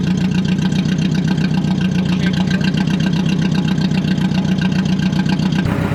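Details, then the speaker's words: Car's first start after cleaning badly corroded terminals, running with no exhaust fitted: harsh, raw, rapid popping at idle with every firing pulse blasting out, the loud open note of an engine without an exhaust. "see what it sounds like yeah it's loud no exhaust yeah here goes nothing"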